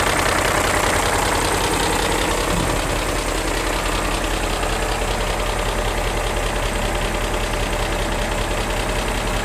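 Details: BMW E39 M5 ticking at idle only: a fast, light tick a little over twice a second from bank 1; the bank 1 VANOS test makes the noise during inlet advance and quits after exhaust retard, while bank 2 passes.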